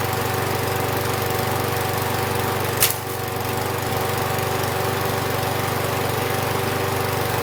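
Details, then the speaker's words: Husqvarna 6021P Kohler mower engine after the part under the idle adjustment screw was removed and the idle screw adjusted. Steady, even idle with no surging after a brief bump; the owner notes it may also just have warmed up. "Actually sounded good. After a 30-second idling adjustment, that might have just been where it was warming up, but it sounded good."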